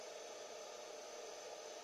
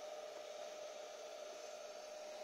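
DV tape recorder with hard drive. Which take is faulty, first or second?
second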